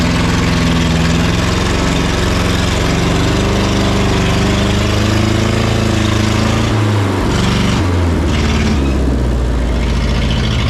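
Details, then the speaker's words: Neglected forklift after adding hydraulic oil: engine speed wanders up and down on its own, throttle surging as if accelerating; lacks throttle return, owner plans a return spring to get it to idle. "okay so I've got a problem with the throttle it seems to be accelerating so I need a throttle return of some sort"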